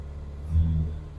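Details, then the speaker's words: Morris Minor first start after about 8 months in storage, choke on, fuel from the previous day: one short low rev blip rising and falling smoothly with no misses or knocks; engine runs fine. "There we go, baby. Beautiful. Wow, I haven't had this run for a good 8 months."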